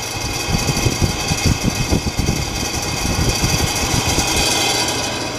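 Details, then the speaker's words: Dusty heater running: loud, uneven rattling with vibration over a steady fan whir; the noisy heater fan needs replacing, exact cause not pinned down. "oh I think it's time to put a new uh a new fan on this is annoying all right turn it off please"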